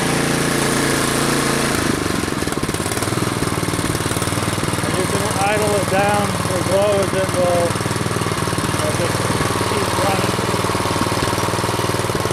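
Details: Troy-Bilt Storm 2840 snow blower single-cylinder engine, warmed up, idled down from near-full throttle: settles from a faster run to a slower, even idle with a steady beat; smooth throughout.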